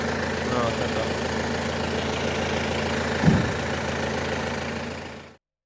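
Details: Peugeot 307 2.0 HDi with codes P1112, P0204 and stalling, after TDC sensor and diesel filter replaced: steady even diesel clatter at idle, one brief thump midway, no knock or misfire; runs normally.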